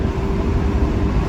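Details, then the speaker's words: Mustang automatic after torque converter replacement, driving: steady low drone through the upshift with no flare, slip or clunk; converter working perfectly, clean smooth shift. "torque converter is torquing perfectly and uh yeah got a nice little car to drive around on on Sundays oh there just shifted going to shift"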